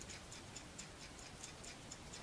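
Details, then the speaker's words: Glock slide shaken with firing pin reset and safety plunger pushed down: light, crisp metallic ticks about four per second, normal firing pin rattle showing the channel is clean and free of obstructions, not that the gun is safe. "okay the rattle means that it's clean and it's clear and it's free from obstructions doesn't mean that the gun is safe"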